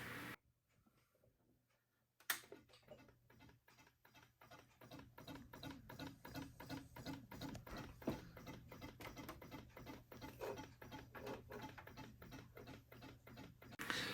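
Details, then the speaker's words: Macintosh Plus (circa 1987), no cooling fan, at switch-on: steady quick ticking about three per second with nothing else starting, likely caused by heat-cracked solder joints on the analog board; won't start. "So, a common problem on these, due to the lack of a cooling fan, is they generate quite a bit of heat, and this causes the solder joints on the analog board to crack after a while, just from the excess heat, and this can cause problems like I just had."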